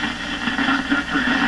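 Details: 1929 Victor RE-45 tube radio receiver, probed at an RF-stage tube grid: hissy, crackly signal with a steady static wash and faint tonal bands, a noisy RF signal.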